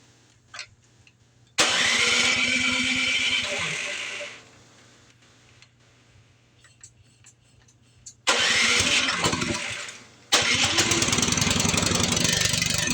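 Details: PowerSmart snow blower small engine, just after carburetor cleaning with residual cleaner inside: fires and screams at high unchanging revs in loud bursts, not idling; over-revving, throttle suspected stuck, unconfirmed.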